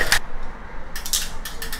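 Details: Cheap Chinese carbon race bike (Trifox X10 frame, Sensah Empire Pro 12-speed groupset) after the build: short bursts of sharp, dry ratchet-like ticking with quiet gaps; something snapped and the tuned gears went out of adjustment, likely causing drivetrain clicking.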